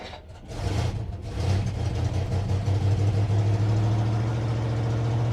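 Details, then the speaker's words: 1957 Dodge Texan, first start after sitting since July 2023: engine catches after a few coughs, then runs a lumpy uneven beat; owner expects poor running from a huge vacuum leak because the carburetor is loose, not the intake mount. "so this thing runs it probably won't run too well with this huge vacuum leak"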